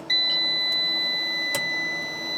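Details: Off-grid solar inverter whose RCD kept tripping: continuous high-pitched electronic alarm beep in a quiet room during wiring checks; a loose, cracked, sparking brown neutral wire was then found as the cause.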